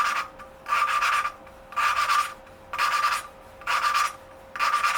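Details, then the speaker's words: 1982 Yamaha XT200 engine rebuild, valve lapping with grainy compound: gritty rasping strokes about once a second with a thin ringing edge, pitch rising as the valve and seat bed in for a good seal. "I can already like hear it sounding better"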